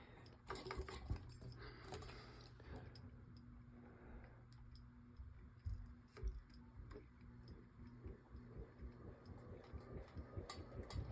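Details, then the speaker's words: Ceiling fan with its blades bent backward spins fast and loud, with a steady low hum and light irregular ticking rattle; with the blades angled correctly it runs slow. Owner suspects something is off inside the motor, cause unknown. "then it sounds like it's gonna take off and fall out of the ceiling"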